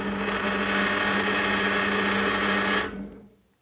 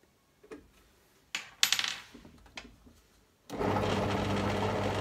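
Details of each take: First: Parkside PTBM 500 E5 bench drill press (2019), first run straight out of the box without adjustment: loud, rough motor hum with buzzing drone and clatter; slack drive belt, fixed by tensioning the motor with its lever. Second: Lidl Parkside PTBM 500 E5 bench drill press (2019). After adjusting the vibrating top section with an Allen key, the motor spins up to a steady, even hum with the vibration and rattle nearly gone. Normal running.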